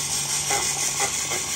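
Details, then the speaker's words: Yamaha R15 V3 ABS motor after bearing replacement, run while the brake is applied: constant high whirring buzz over a steady low hum, no grinding or rattle; the ABS pump motor spins smoothly and runs normally. "Jack R complete হয়েছে, আশা করি এটা কাজ চলতেছে এবং sound শুনতে পারছেন।"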